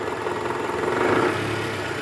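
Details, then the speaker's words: 2012 Toyota Camry 2.5 V, 2AR-FE engine, 167,000 km, idling with AC on in R: coarse, gravelly, fast uneven diesel-like clatter, quieter in neutral and loudest at the oil pan, from a worn, loose balancer shaft. "nah ini indikasinya dari balanerap tadi kita sudah analisa guys bunyi yang paling kencang itu adanya di area panci oli mesin sini nih"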